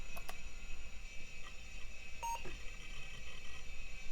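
A single short mid-pitched beep over a quiet room hum: one clean power-on self-test beep, so the machine passed and boots normally.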